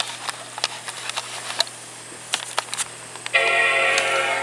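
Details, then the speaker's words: 2009 Mac Pro upgraded to 5,1 with a newly installed HIS Radeon HD 7970 3GB, powering on: a few sharp clicks then one clear sustained startup chime, followed by gray screen; normal startup chime, machine posting. "the chime. Gray screen, that's a great sign."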